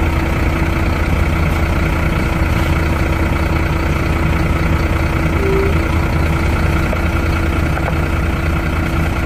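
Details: Truck parked four days in hot Goa would not self-start; after a jump start from another truck's battery it idles smoothly: steady, even diesel idle with a low throb, no knocks or misses. Battery condition still unknown.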